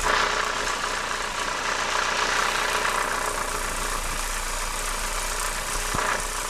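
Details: Renault R19 16V phase 1 F7P engine at idle with alternator belt removed: fast, loose ticking rattle over a hissy top end from the cambelt area; source not pinned down.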